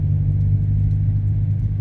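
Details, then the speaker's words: 2022 Subaru WRX driving after going back to stock end links from adjustable ones that clunked on both sides. Steady low road and engine rumble with no knocks or clunks: the suspension is quiet. "as you can hear you hear nothing the stock end links are back on"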